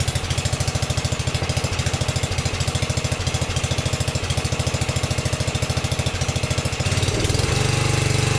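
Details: 1982 LongLife 36" lawn tractor, 40-year-old barn find, with fuel no longer running out the carb: even, quick single-cylinder thumping at steady speed, picking up slightly near the end; normal running.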